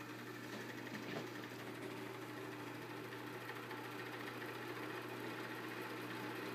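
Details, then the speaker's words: Knapp Monarch Duo-Aire hassock/floor fan, probably early or mid-1960s, just oiled, switch reversed (high is medium); steady low motor hum with faint rough whirring while running up to speed; noisy at startup, owner suspects worn thrust washers from shaft axial play. "high is actually medium and medium as high it's a little noisy at first until it gets up to"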